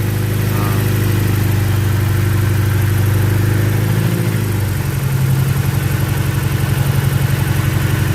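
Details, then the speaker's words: BMW E90 petrol engine restarted after running out of fuel: brief limping, uneven patch, then settles into an even, steady idle with no stumble or miss. "Oh, sudah mulai halus ya. Karena itu pertama biasa seperti itu ya, Teman-teman ya."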